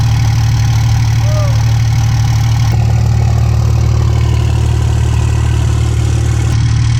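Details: 2007 Ram 2500 diesel at first start after fitting new Flux 103% over injectors; after the lift pump primes fuel, it runs with a steady, even low clatter at idle with no misses or stumbles, a normal idle.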